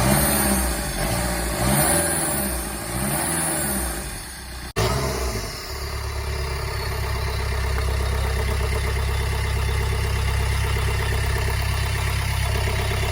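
Revs rise and fall smoothly, then the engine settles into a steady, even idle with no knocks or rattles.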